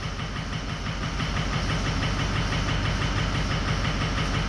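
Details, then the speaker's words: 2004 6.0L Powerstroke diesel after a few minutes of running: all bank 1 injectors (1, 3, 5, 7) drop out. Lumpy idle with an uneven thump about three times a second over diesel clatter: one bank misfiring. "So we pretty much got 1, 7, 3, and 5 all dropped out."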